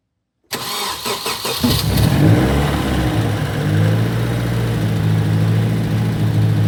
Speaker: Okay. First startup with the new turbo.